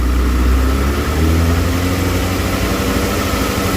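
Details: Motorcycle idling after rewiring the rectifier past a burnt connector; charging about 14.4 V. Steady, even low idle with constant beat, no hunting, popping or misses; healthy.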